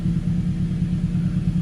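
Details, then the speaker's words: Turbo Mazda after timing chain and VVT replacement, high-pressure fuel pump reconnected, warning light still on: deep even idle, steady low throb, no knocks or ticks; engine sounds healthy and settled. "hey sounds better though sounds good sounds like a good engine to me"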